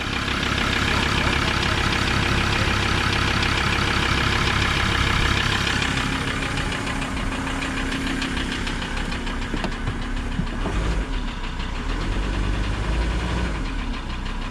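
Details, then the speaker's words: Auction vehicle with a six-speed automatic, clean oil and full coolant, just fired up at idle. A steady, deep knock of about three beats a second is heard; a rod knock is suspected, unconfirmed. "right fired up hello flag oh oh dear she's a rod knocker"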